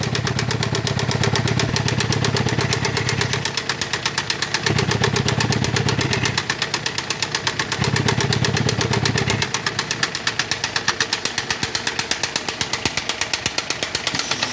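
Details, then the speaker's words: 1.6 16-valve small pickup, new spark plugs, idling: rough regular puffing knock near three beats a second, gusty pressure noise, heavy blow-by at oil cap, blue smoke; cylinder 1 compression 0, cylinder 4 not holding; suspected broken rings. "Y el carro se le oye este ruido. El ruido se incrementa en la parte de abajo. Se escucha mucha presión. Y mucha salida por el tapón del motor. Esto indica que podría estar roto los anillos, aunque hay otro tipo de problemas que también puede haber."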